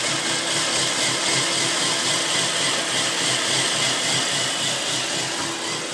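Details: 2000 Volvo C70 petrol engine with a rough, hissy, uneven idle pulsing about four times a second. Owner suspects reversed jumper cables; a burnt lead on the ECM circuit board was found and resoldered, which fixed the issues.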